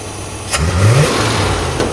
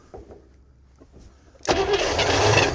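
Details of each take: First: Scout not run in 18 years, timing now 12° advanced, idle turned down slightly: smooth steady idle picks up crisply on a quick blip and settles back evenly; engine sounds healthy and responsive. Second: International Scout sitting 18 years, fuel line run from the fuel pump into a can, carburetor primed with gasoline, B12 and Marvel Mystery Oil; it catches after a short crank, runs seconds, won't pull fuel — failed fuel pump.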